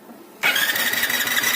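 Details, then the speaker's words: Hero Splendor Plus i3S self-start problem, after joining yellow-red and white-red wires, bike in neutral: sudden steady high whine with fast spinning rush; starter motor now turns. "अब जो है button दबाते ही motor घूमने लगा है, self का motor देख रहे हैं।"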